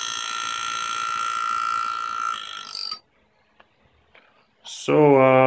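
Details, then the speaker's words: Air-driven engraving handpiece (new, machine modified with air regulator to foot pedal) cutting in a practice plate: steady, high, even whine with no stutter or labouring; running smoothly, cutting nicely. "what we did a nice nice cut and you can see it so yeah this works pretty nicely"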